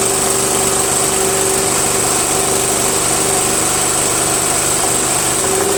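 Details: Murray Select 13.5 hp 40" tractor, Briggs & Stratton single-cylinder flathead, after valves were ground for clearance, a stripped head bolt was fixed with a screw and washer, and bolts were retorqued. Steady, even idle, smooth firing beat, no knocks or misses.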